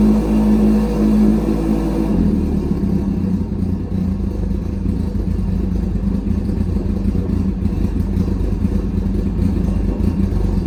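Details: Engine first start after carbs cleaned, rebuilt and rejetted: catches and settles into a steady, even low-pitched idle with regular beat and no misses; carbs running properly.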